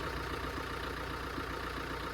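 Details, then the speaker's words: Fiat 500L diesel with DPF, abandoned over 12 months, starts on the button and idles smoothly with a low steady beat, no rattles or knocks; engine sounds good and healthy. "I'm saying the engine sounds good and healthy. Starts on the button. There's no rattles, no nothing, really."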